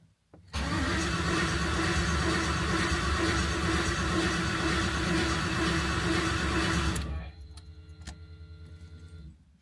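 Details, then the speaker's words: 1988 Ford Bronco with newly swapped LS V8, first start attempt; strong even cranking about 3.5 turns per second for six seconds, oil pressure building, never fires; cranks but won't start, VATS not yet deleted, cause unconfirmed. "so we're having an issue it's not starting it's cycling over really well um everything sounds good there at the very least we're building some oil pressure but uh we don't know why it's not firing"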